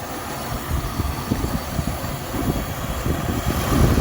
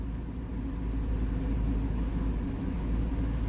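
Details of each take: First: 1978 Mercury Marquis Brougham, 400 V8, after new fuel pump and filter, revved on a trailer: deep, lumpy idle with uneven stumbling beat and dropouts under throttle blip; running rough, missing badly, some spitting. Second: 1978 Mercury Marquis Brougham, 400 V8, after new fuel pump and filter, warmed up: deep, even low rumble with no misses or stumbles, settled from earlier roughness into a smooth, steady idle.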